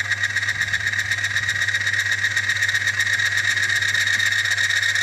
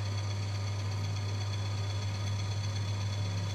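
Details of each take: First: Friction tester, 1 pound load applied: steady high squeal with fast regular ticking underneath, metal-to-metal friction; friction squeal under load. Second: Friction tester running Proton CVT gearbox oil, pulley turning with no load applied: smooth, steady low hum, no scraping or knocking; normal no-load running.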